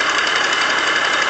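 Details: Yamaha Aerox scooter two-stroke: fast, rattly metallic knocking over buzzy idle, steady throughout, seemingly from the variator area; worn crankshaft bearings.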